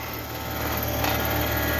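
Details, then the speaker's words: Carrier Sentry heat pump outdoor unit, about 7–8 years old and suspected low on refrigerant but still cooling: a harsh, loud buzzing rattle over the hum that began only recently; owner suspects the compressor is struggling. "Oh, no. That does not sound good at all. Yeah, that's the compressor."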